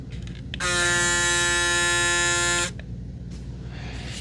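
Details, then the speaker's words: Braun Series 9 PRO+ electric shaver: steady high buzzing hum for about two seconds at even pitch, starting and stopping cleanly; a single motor drives the whole head, running normally. "When it's moving, just that whole thing moves. Not each one of those don't individually have an own motor."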